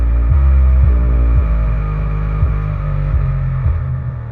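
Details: Pyle PLQB10 10-inch 4-ohm subwoofer (3.6 ohms measured) after two to three minutes of play: deep bass about four hits per second with muddy buzzing rattle; speaker appears blown, burning smell, something loose inside.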